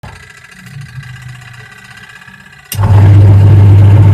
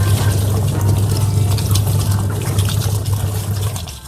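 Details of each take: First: Leaking washing machine making a rough noise: heavy, rough droning hum swells loudly for several seconds then drops away; rough running noise, cause unknown. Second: Washing machine repaired for leaking and rough noise: steady low drum hum with water swishing, no grinding or knocking; running smoothly.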